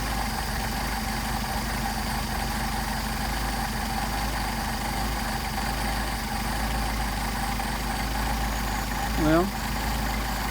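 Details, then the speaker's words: Mercedes 190SL Solex carburettors rebuilt elsewhere, on a test mule engine at idle: idle mixture screw turned fully in, yet the engine keeps a steady idle instead of dying; screws don't adjust as they should, poor rebuild precision. "screwed in all the way the engine should have but he should have died now let's turn it back out"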